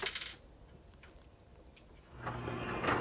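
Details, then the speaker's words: 2006 Maytag Ice2O MFI2568AES French door refrigerator, ice dispenser: after installing an aftermarket replacement control board, the auger motor hums continuously and won't stop after ice clatters out, pushing ice forward and risking motor burnout; faulty replacement board suspected. "so there now you can hear it the the augur motor does not stop"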